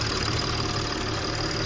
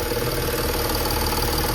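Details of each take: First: Audi A8 D5 diesel idling after fitting a replacement high-pressure fuel pump where everything had been leaking (tappet replaced half a year ago); previous pulsing sound from the pump gone, steady even low rumble, no knock or tick. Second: Audi A8 D5 diesel: idle with a faint rhythmic pulse, roughly 160 a minute, over the clatter; intake manifold flap swapped without change, pulsing felt at the high-pressure fuel pump supply pipe, pump suspected faulty.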